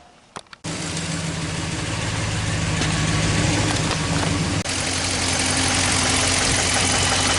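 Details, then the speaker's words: 2014 Dodge Ram 1500 5.7L with a cylinder 6 misfire, at idle with a probe on the cylinder 6 injector: a fast, steady light tick over the idle heard down in the engine bay; owner wonders about internal damage or the misfire, source not yet known. "I'm hearing a ticking down in here. Huh. I don't know if we got some internal damage."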